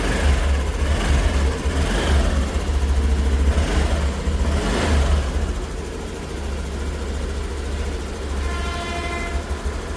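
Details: Honda Activa 125 BS6 after repair of a repeatedly blowing fuse: oil had reached the magnet coil (starter/generator) causing shorts, and the damaged ECM was replaced. A few throttle blips then a settled even idle, no stumbling or misfire.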